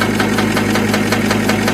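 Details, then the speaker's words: BMW E39, rhythmic knock on bumps faster with speed: steady knock about five times a second following wheel rotation, louder with handbrake pulled two clicks, quieter released; worn handbrake shoes in that wheel. "сейчас в общем это я ручник подтянул на пару щелчков И вот так ставил трещать сейчас в общем я ручник опущу Посмотрим как будет ручник опустил стала меньше стучать"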